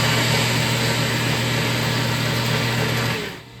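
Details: Rockwell Beaver 37-260 jointer after the drive pulley rubbing on the cast-iron bed casing was freed and the belt gravity-tensioned: steady, even hum of constant pitch with no knocks or slapping, then a clean spin-down; running normally.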